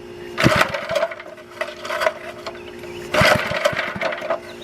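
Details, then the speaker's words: Antique Goodall-Modern edger with 3hp Briggs & Stratton engine, sitting over 20 years, fuel in tank; repeated recoil pulls with short rattling bursts, turns over but never catches; no start, owner suspects carburetor needs cleaning. "so definitely probably have to clean out the carburetor he's been sitting for over - uh off the over 20 years"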